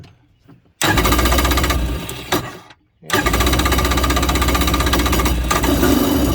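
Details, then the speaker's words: Old (circa 1986) Kawasaki X2 jet ski no-start after fixing a missed battery wire connection: two bursts of clattering starter whir cut off, engine not turning; starter Bendix not staying out to engage the flywheel. "the flywheel and that's what makes it turn but that's that noise you're hearing is the starter's spinning but it's just not turning the engine okay"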